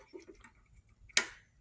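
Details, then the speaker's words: 2022 Royal Enfield Himalayan, owned from new about 3–4 years, stranded by intermittent no-start: 12 V at pump connector key-on, engine off; key on gives one sharp click, then silence with no pump whir or priming. Owner suspects failed fuel pump, unconfirmed. "Nothing. So I think through my diagnostic here that I actually do have a bad fuel pump, which doesn't seem to be super common on these."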